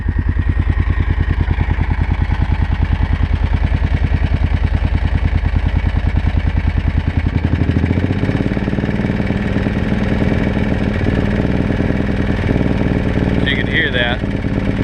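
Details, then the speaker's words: 2005 Kawasaki Brute Force 650 SRA V-twin ATV with HMF exhaust, jet kit and carb rebuild: uneven thumping with exhaust back-popping below quarter throttle, smoothing to a steady rising drone past it; pilot jet suspected. "that right there. back popping. You hear it? Once I get past that quarter throttle though, smooth, full throttle, no problems at all. Pilot jet is to blame."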